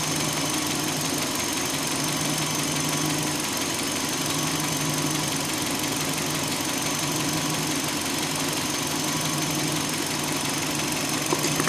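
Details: 2005 Hyundai Elantra idling, just after owner tightened the timing belt: steady, fast, light ticking-knock with bright metallic edge over an even idle; knock existed before but less prominent, source not pinned down.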